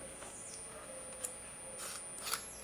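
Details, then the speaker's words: Mini inverter rated 3.7V DC to 220V AC, driving a lamp, emits a thin, steady high-pitched whistle from its oscillator; output is only about 111 mV, so power is very low. "Y ahí incluso se escucha un siseo de la frecuencia, de alta frecuencia."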